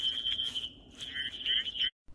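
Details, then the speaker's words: Behind-the-ear hearing aid with the tube removed, cupped in the hand: a high, piercing feedback whistle for about two seconds shows it is amplifying through the ear hook, so something in the tube or ear mold may be blocking sound. "I hear squealing, so it's working."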